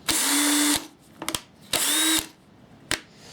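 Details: Bosch drill on its motor: two short trigger pulls bring a smooth, even whir that spins up and stops cleanly, so the motor is running fine.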